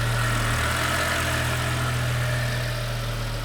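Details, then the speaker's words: BMW E60 M5 S85 V10 at idle: steady idle with a faint uneven chirping tick; owner suspects the power steering pump. "and also Power Stream pump I think it's Power Stream pump hear that it's making tripping sounds the is that that is unacceptable"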